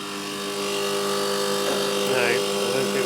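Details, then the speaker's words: Condenser fan motor on a milk cooling unit humming steadily but not turning, drawing 3 A against a rated 1.2 A. The front bearing in the motor had failed, and the unit was cooling poorly. "customers commented that the condenser fan is not running I can hear the motor humming it's pulling 3 amp so she's only pull 1.2"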